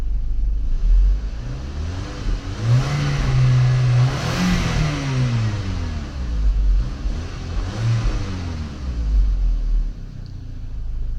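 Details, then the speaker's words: 2006 VW Passat after head gasket job, warm at 200°F after 15 minutes idling; earlier chatter caused by unchanged oil filter cartridge, now replaced with fresh oil: revs rise and fall smoothly, no chatter or tapping; fixed. "engine chatter. I think it's good. Problem solved."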